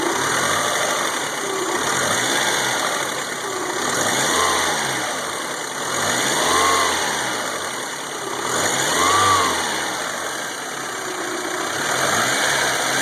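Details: 1992 Toyota Camry 4-cylinder after engine rebuild (rings, head gaskets, new distributor, cap, rotor, plugs; 200 psi compression): idle surges and sags with uneven stumbles, hard starting, worse when hot; misfire.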